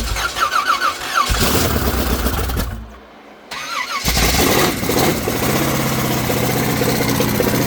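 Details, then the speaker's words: Chevrolet S-10 work truck, carbureted, makeshift starter wiring: starter cranks, engine catches then runs with an uneven lumpy beat that never settles; cam later suspected destroyed. "Truck just sounds like ass right now. We don't know why."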